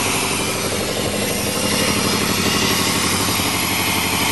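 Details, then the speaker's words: 1987 Chevrolet truck engine just started, no air cleaner, not yet warm: uneven lumpy idle with a stumbling beat about four per second under clatter, misfiring; cause not yet found, to be checked once warm. "it's running on its own sounds like it's misfiring yeah it's definitely misfiring way that motor"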